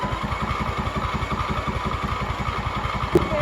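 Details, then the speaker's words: MTD Yard Machines mower with 14.5 Briggs engine, sat over five years, new battery, fresh gas: steady starter churn about three pulses a second, never fires; cranks but won't start despite spark and gas, owner suspects fouled plug. "Cuz it's having spark and it has gas, so it should have fired."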